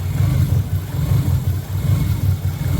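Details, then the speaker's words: Low, lumpy idle with uneven, stumbling exhaust pulses and a beat that keeps dropping out, missing on some cylinders; gauge needle moving; owner suspects O2 sensor, not confirmed. "I'll get you the exhaust exhaust note definitely sounds like it's missing sounds like it's cammed out"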